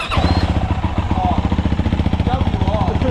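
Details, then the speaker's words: Yamaha WR450F dirt bike started after sitting six weeks after a race, radiator coolant all gone; catches straight away and settles into a steady thumping idle about four beats a second; normal idle after start. "Absolutely fine. The radiator all the coolant's gone out of the radiator. But yeah, still starts, mate."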